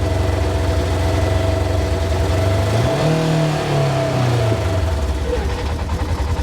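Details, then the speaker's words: 2022 Polaris RZR Trail S 1000, about 3,500 miles: revs climb with the throttle blip, a misfire is felt, then RPM hangs and drifts down slowly instead of dropping quickly; running issues, cause not yet found. "and when I just give it a little bit more throttle it kind of held the higher RPM came down slowly it should just drop real quick so definitely got some running issues"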